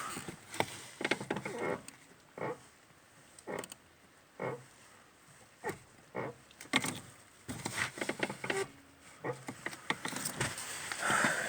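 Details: Lada Kalina service car, clutch cable replaced a month or so earlier: short creaky squeaks and crunches with each clutch pedal press in a quiet cabin.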